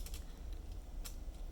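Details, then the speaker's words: Homemade magnetically-stabilized spacebar with one stabilizer wire cut too short: a few loose, tinny clicks and ticks on each press instead of a clean thock, the short side rattling while the other side stays quiet. "So that's why this side makes that little clicking sound, but the other side doesn't. But that's the difference right there between my stabilizer and a regular cherry one. Hear that rattle?"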